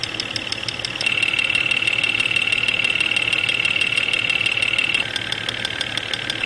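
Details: Jeep XJ Cherokee 4.0L, 175,000 miles, heard at the fuel injectors via electronic stethoscope at idle: sharp metallic ticking about four per second, loudest at cylinder 5. Suspected causes are a lean knock from dirty injectors or internal piston slap, unconfirmed.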